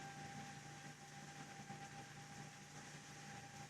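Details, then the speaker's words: AMD FX-8350 stock CPU cooler fan under a stress test, with temperatures climbing and the fan at about 5.0–5.5k rpm and rising: a steady, high, constant-pitch whirring whine over a low hum, very loud. "I believe you can hear the noise the this man makes it's just awful it's the worst thing that can happen to you when you're working and you're trying to concentrate on something"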